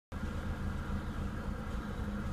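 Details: Renault Clio 182, warm, idling with a low, uneven rumble and a faint repeating knock underneath; engine knocking at idle, cause not pinned down.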